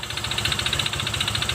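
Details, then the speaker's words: Honda Vario Techno 125 FI scooter idling with CVT removed, rough noise still present: fast, harsh metallic clatter over rough idle; mechanic suspects loose piston or worn connecting rod (big end), engine to be opened. "berarti ini motor yang kena atau yang rusak di bagian mesinnya di antaranya bisa dari Seher yang udah longgar atau dari Setang Seher yang oblak ya nyaring sekali ya teman-teman"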